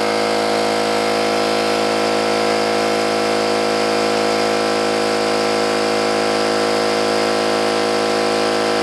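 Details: New oil-lubricated Campbell-Hausfeld air compressor, filling the tank under load: smooth even pumping drone at steady pitch, no metallic clatter or knocking, unlike the old Brute; healthy.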